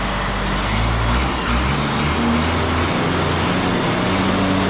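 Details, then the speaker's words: Vehicle "Maxine", after pump repair, prepped for the Mint 400; fires right up without a long crank, firm steady diesel clatter with an even note and no stumbles; sounds all right, normal running. "yay I mean it sounds all right it's pretty antimima right just fire it up that's pretty good there's no M no long crank"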